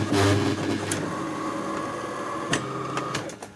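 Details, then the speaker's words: AEG Electrolux coffee machine that hums and won't make coffee; steady, laboured motor hum with a few clicks, likely not the pump but nearer the motor; brew unit seized out of position, straining the motor. "такое гудение натужно и что это может быть трудно решить но скорее всего это не помпа а что-то ближе двигателю"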